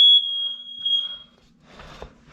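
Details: Monthly home test of an upstairs smoke alarm: one loud, steady, high-pitched beep of just over a second, then quiet; the smoke alarm sounds properly on test.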